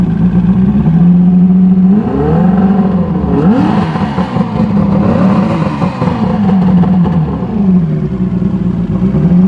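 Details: Evinrude Starflight 100hp two-stroke outboard running out of the water, battery boosted: crisp buzz rising and falling cleanly with each throttle blip, throttle advancing ignition, no misfire or rattle; normal running.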